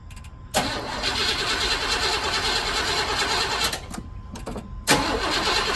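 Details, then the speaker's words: 1985 Chevrolet C10 with carbureted Quadrajet engine, unstarted for one to two weeks, during cooling system repair: several seconds of starter churning with pauses before catching. Owner expected a long crank as the Quadrajet leaks down. "it hasn't been started and I don't know week maybe two weeks just start up let's see probably a long crank goes Quadrajet leaks down"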